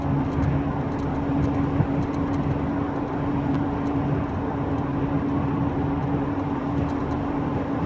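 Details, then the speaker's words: Mk3 VW Golf driven at about 50, before wheel bearing replacement: steady mid-pitched pulsating whine and low growl with vibration under road noise, from a worn wheel bearing. "I think there's a sort of whining pulsating pulsating whining low vibration and I think it's coming from that that really large there"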